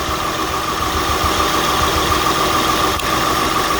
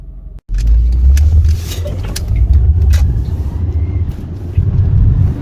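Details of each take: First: 2003 Acura TL V6 with P0300, P0301, P0303–P0306 and P1399 codes, still misfiring after new OE platinum spark plugs: rough lumpy idle puffing; unplugging coils found one dead ignition coil, replaced, engine then ran smoothly. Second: 2003 Acura TL after replacing a faulty ignition coil (fixing P0300–P0306 misfires and P1399): car pulls away and accelerates smoothly, engine note rising evenly with no stumble or miss.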